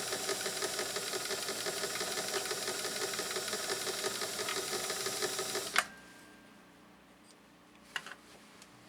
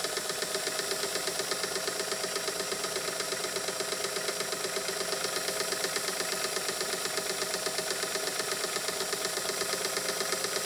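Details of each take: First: Singer 328K sewing machine running: steady rapid clatter of about three ticks a second; bobbin case not adjusted to the raceway, allowing excessive movement. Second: Singer sewing machine with a 0.95 amp motor, after lubrication: fast, even needle-mechanism ticking with no binding, picking up speed as it frees up, normal running.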